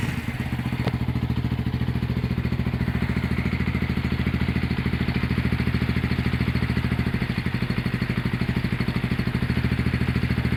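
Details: Honda GL100 (GLK 100) CDI single-cylinder engine running: even, steady low beat with no knocks or rattles, ticking over smoothly. Normal running.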